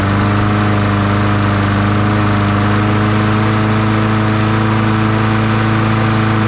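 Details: 2002 Murray 20-inch bagger/mulcher with 4 HP Briggs & Stratton, restarted and left running for a while before oil change and blade sharpening: steady, even single-cylinder drone at constant speed, no misses or knocks; runs smoothly.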